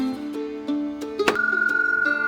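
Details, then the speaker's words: Camper trailer water pump, reached under an access cover, that isn't delivering water: a droning motor hum with light rattling ticks about three times a second; rough, abnormal pump noise, owner thinks it's broken and is replacing it. "That's what the water pump sounds like right now. Not normal. I think it's broken."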